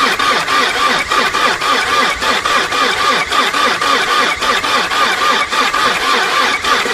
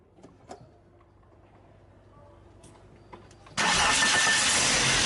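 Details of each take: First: 2003 VW Passat TDI diesel, AVB engine, hard to start mornings: the starter turns it over slowly at about three labored compression pulses a second and it never catches. Cranking judged too weak for a diesel, which needs a strong starter and battery. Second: 2003 VW Passat TDI, AVB engine, after starter Bendix drive cleaned, greased and oiled: brief clean crank, engine catches straight into steady run with no grinding, starter sound smoother; normal starter cranking.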